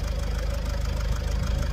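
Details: Vauxhall Vivaro / Opel 2.0 turbo diesel van, losing power towing, suspected turbo failure; intercooler and exhaust swapped: steady tick-over with a fast even rattle on the low rumble; source unknown.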